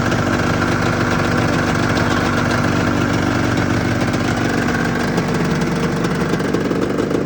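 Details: 1996 Arctic Cat ZRT 600 two-stroke snowmobile idling after a fuel pump rebuild with a Vertex kit. It settles into a steady, even idle with no misses or stumbles: fuel delivery is healthy and the idle is normal.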